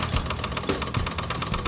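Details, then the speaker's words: 2008 Vespa S 125 that sat about a year and would not start, after carburetor cleaning; key on, the fuel pump gives a quick, even ticking buzz as it cycles, changing sound normally: normal fuel pump priming. "can hear it change sound normally there it goes slow down cycle it one more time nope it's good"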